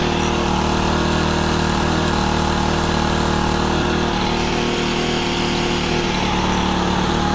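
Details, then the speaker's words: Honda FG110 with GX25 engine, new carburetor that previously needed half choke; steady even fast idle, smooth firing beat, no misses or surging; normal running. "But right now, it seems to be doing pretty good. As you saw, I leaned it out a little bit. I got it running pretty good, and then I leaned it out and I put the filter on."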